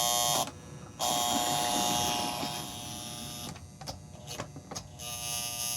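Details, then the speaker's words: 1955-57 American Flyer 372 Union Pacific GP7 locomotive, on power before any servicing, earlier would not move at all: thin electric buzz cutting in and out in stutters. "That's interesting because I actually could not get it to move uh earlier. So, I'm impressed that it did move. Uh, obviously we've got uh some issues going on."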